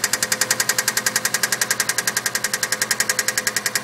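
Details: Subaru EJ20 engine running with a sharp metallic knock hammering steadily, roughly eight to nine blows a second.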